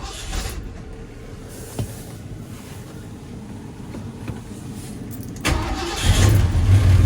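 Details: 1977 Ford F150 4x4, essentially stock, started in very cold weather. A quiet rumble, then the V8 fires right up at once and settles into a steady, deep, not-too-loud idle with a nice tone: a clean, healthy cold start.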